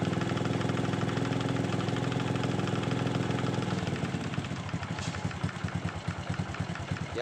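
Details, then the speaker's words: Honda Supra X 125 motorcycle idling: rapid loose clacking (klotok) over the engine beat, slowing and thinning as the engine winds down; top-end clatter, cause suspected, not confirmed. "OK, đây tiếng xe máy, có tiếng lách cách, đúng rồi, xe máy có tiếng lách cách, lát nữa chúng ta chạy thử và nổ thử là được ."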